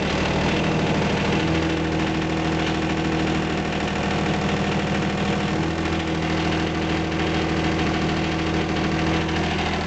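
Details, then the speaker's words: John Deere 455 diesel tractor cold start at about two degrees, after glow heater cycle: catches and idles with rough-edged but even diesel clatter, steady knock rhythm, no misses; normal cold start idle. "turn the key wait for the heater to kick off and see what happens there she goes"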